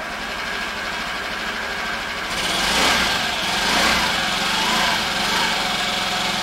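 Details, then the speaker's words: 2015 Honda Ruckus scooter, sat for a couple of years, with fresh gas: a couple of seconds of cranking, then the small engine catches and settles into a quiet, even idle with no knocks; runs healthy. "a quiet scooter, isn't it? It runs. Listen how quiet that is."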